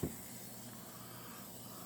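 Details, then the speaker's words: Nolli Designs Pacer fidget spinner with brass weights and a full ceramic bearing gives a soft, steady hiss over a low hum as it spins; the bearing is a little noisy, not loud but clearly audible. "as you can hear bearings a little bit noisy not terribly loud just you can definitely hear that it's there"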